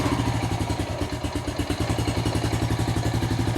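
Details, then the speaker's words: Honda Rancher 420 ATV, single-cylinder, previously stumbling and stalling once warm, after an easy fix and service with the carburetor not removed; even steady putter at a quick idle, no misses or knocks; normal idle. "And, uh, let's see here. Fires right up. Runs great now."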